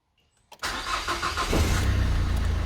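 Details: Renault Twingo with a six-year-old, low-mileage timing belt: starter catches quickly and the engine settles into a steady, even idle with no knocks or chirps; normal start and idle.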